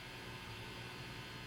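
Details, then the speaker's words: Kit-built Kendrick JoyZee tube guitar amp (Fender Deluxe-like), first power-up on variac, about 20 mV bias, both channel volumes down: steady low buzz with hiss; cause not yet found. "But listen to that buzz. I've got the volume all the way"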